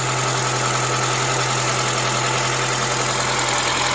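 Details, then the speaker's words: Honda Element SC, first start after swapping in rebuilt engine (previous had blown head gasket, warped block), no coolant bubbles: steady even idle, low hum, no misses or hunting; slight tap suspected from rocker arms needing adjustment. "It sounds pretty good. It sounds really good, actually."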